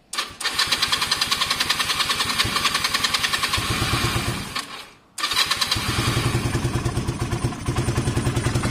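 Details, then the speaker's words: Motorcycle in cold weather, which won't start without choke, after choke cable fix: engine catches and settles into a quick, even fast idle on choke, stops briefly, then restarts cleanly; choke working. "the bike currently won't won't start unless the choke is on uh well i'm assuming that because it's so cold"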